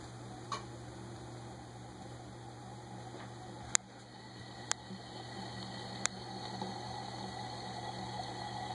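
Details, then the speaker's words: Canarm PleasantAire industrial ceiling fan c.1983, new in box, after oiling the bearings: steady motor hum with a soft fizzy swish and a few ticks, excess oil spraying out; grinding noise now gone. Suspected wet bearing noise from excess oil. "that's okay there still still some oil in there apparently it's spraying it around the room and I don't want that so I'm going to stop it but uh that's what I mean by the uh wet bearing noise is what I'm going to start calling that it's the opposite of dry bearing noise"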